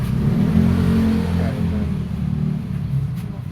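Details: Honda RS150 motorcycle engine revving: deep, uneven knock; teardown found a damaged connecting rod and scored piston.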